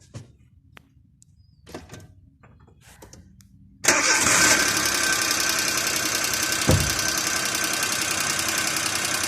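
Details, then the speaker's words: Petrol car engine idling steadily and evenly after starting, no pinging (cascabeleo) or abnormal noise; baseline shown before simulating a damaged or disconnected spark plug wire. "este momento el motor se encuentra cooperando correctamente como ustedes lo pueden escuchar nuestra cascabeles 'no y emitiendo en algún sonido fuera de lo normal"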